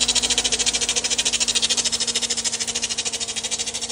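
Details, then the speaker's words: 2005 Chevrolet Corvette, 62,000 miles: sharp high chirp repeating evenly about three times a second over a faint low hum. Source unknown. "okay this is a 2005 Chevy Corvette got 62,000 Mi on it uh I've never bought and sold one of these before let me know in the comments what you think that noise is I have an idea but I want to know what you think thanks"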